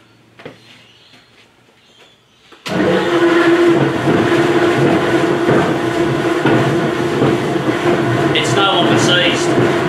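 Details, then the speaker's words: Lee & Hunt vertical slotter, previously seized, running after freeing: steady clatter with heavy bangs about three a second; something in the drive is clunking, cause not yet found. "as you can hear it's got some constant some bangs meds for the first side but now that it moves it's easier to get apart"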